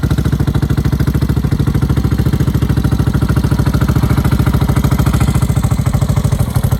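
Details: 1986 Yamaha SRX600 big single thumping evenly at idle, about three beats a second, with a faint clatter on top; the source of the noise is not yet clear.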